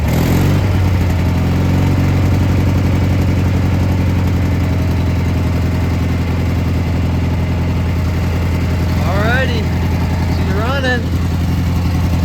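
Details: Gravely G-16 tractor, roughly late-80s/90s, not run in a few years, on its own tank fuel, driving: steady even low thrum holding speed, no knocks or misses; runs pretty good, smokes a little.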